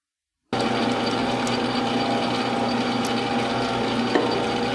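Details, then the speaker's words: Lathe drilling a long, small-diameter through-bore in a bench grinder diamond dresser body: steady ringing mid-pitch squeal over spindle hum, tool chatter from the cut, before reaming the hole for the diamond. "so the last thing to do here at the lathe is to drill for which is going to generate all that chatter again and then ream the through-hole for the diamond itself"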